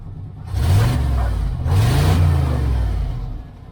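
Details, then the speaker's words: 1994 GMC Stepside pickup just after a cold start: two quick revs climb and fall back smoothly with no popping or backfire, engine running clean; normal revving. "rev It Up [Music] thank you it sounds good"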